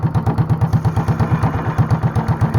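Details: Honda clone single with 10 lb cast-iron flywheel, cam modified, no governor, light load, about 500 rpm; slow heavy steady chuff-chuff firing, sounding like a hit-and-miss engine; normal slow idle.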